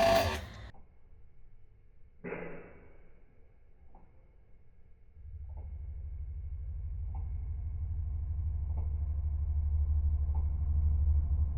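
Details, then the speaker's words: Single-phase AIR induction motor with large start capacitor on a three-wire soft starter: after clicks, a steady coarse low buzz growing louder, absent on direct mains; the starter isn't fully open, clipping the sine wave; fix: bypass it after ramp-up. "Ну в общем как вы поняли да он не полностью открытый во время работы он немножечко подпиливает синусоиды из-за этого получается вот этот неприятный звук"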